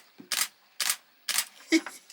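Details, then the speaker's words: Canon 70D camera shooting without flash, after fixing a long-standing intermittent battery fault by cleaning dirty contacts with mouthwash: five crisp, evenly spaced shutter clacks about half a second apart; shutter firing normally. "Yes, we're back in business. Awesome, guys. It was just dirty contacts."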